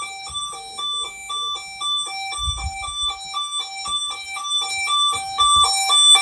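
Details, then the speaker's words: Burglar alarm panel's internal sounder in test mode, audible through the whole house: a clear two-note chime alternating high and low about twice a second, held steadily. The test chime is working normally. "you can actually hear it for the whole house and so that's the internal bullsey"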